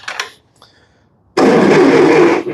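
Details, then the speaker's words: 70-year-old Massey Ferguson TO-30 tractor, non-running, on 12 volt: starter spins the engine briskly and evenly for just over a second but it never catches; cranks well but no spark. "yeah she spins over pretty good she is on 12 volt but nice all right well normally the next thing I would do is check and see if there's any spark but I can already tell you that we don't"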